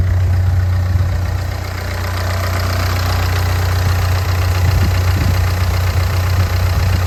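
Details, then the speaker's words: Ford Fiesta diesel after replacing a whining alternator: steady even diesel idle with usual clatter, no misses; normal idle. "Engine running sweet as a nut now. I mean, it still sounds like a taxi, but it's not too bad. Runs great."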